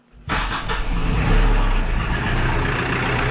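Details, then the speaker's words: 2012 Kioti DK40se HST diesel tractor after replacing four glow plugs to fix hard starts and white smoke: catches on first crank and settles into steady, even diesel chug with no hesitation or white smoke; normal start. "hers like a kitten that's the beautiful thing right there that's exactly what I would expect from a tractor like this one"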